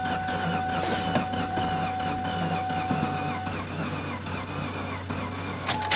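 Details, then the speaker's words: 2003 Ford Taurus, sat about a year, after carb cleaner sprayed into intake: slow even cranking with a couple of small pops, never catches, still sounds weird; owner wonders if fuel pump isn't working well; crank, no start. "Ooh, got a couple little pops out of it anyway. I wonder if the fuel pump maybe isn't working good. It still sounds weird though."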